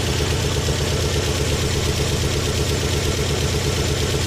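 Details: Carina engine at idle: a regular dull knock, roughly three beats a second, over the engine hum. Internal engine knock, source unknown.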